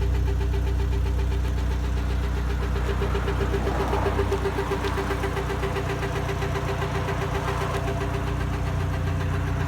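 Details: Mk6 Jetta 2.0 non-turbo petrol, cold start after sitting overnight, idling with steady rhythmic chatter about four pulses a second over deep hum; noise lasts about one minute then goes away.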